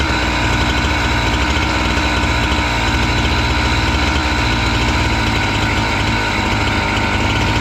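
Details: Husqvarna 268 two-stroke chainsaw that stalled once warm, after the carburetor screws were set to about two to two-and-a-half turns open. Fast, even burble holding a steady idle with no dips or stalling; idles properly.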